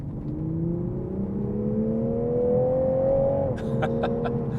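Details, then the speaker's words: 2021 Toyota Supra GR 3.0 Premium, 3.0 inline-six, accelerating hard: a smooth exhaust note climbing steadily in pitch under full throttle, then dropping at the upshift; it sounds really good and pulls cleanly. "and it sounds really good it definitely sounds good"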